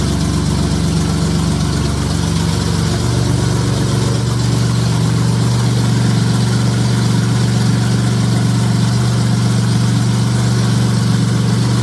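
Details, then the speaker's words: J35 engine (about 183,000 miles) swapped into a Subaru Baja, warm idle on a cool fall day; smooth, steady pulse with fan whoosh, no ticks or knocks. Oil pressure about 60 psi, coolant near 150, compression modest, radiator struggling. "now that i've run it it sounds good there's no knocks there's no like extreme valve train noise it's got good oil pressure"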